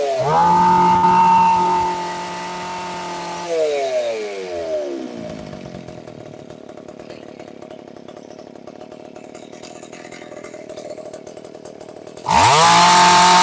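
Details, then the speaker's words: McCulloch PM610 two-stroke chainsaw, dead for years, running after carburetor cleaning: revs cleanly, drops to a steady even idle, then snaps back to full throttle. Runs well with lots of power, though smoking. "There we go. Success. She is a smoking beast. Lots of power."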